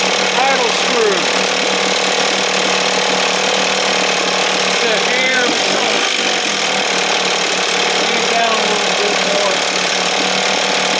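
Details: 1968 Evinrude 6 hp two-stroke outboard, running on the stand with throttle opened just above the timing mark: steady, buzzy, even run with no surging or missing, a touch rich ("a little fluffy"); healthy running.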